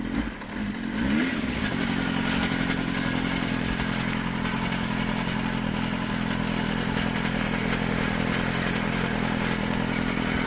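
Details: GSXR 400 (GK73a) engine idling on its side stand: light metallic top-end clatter continuing after a brief rev; cam chain tensioner already replaced without curing it, rattle source still unknown.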